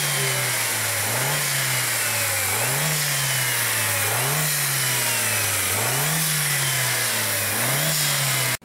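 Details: 2003 VW Beetle 1.8T with many codes including pressure drop between turbo and throttle, owner reporting hissing, revved about every one and a half seconds: loud airy hiss over the revs; boost leak from a split turbo hose.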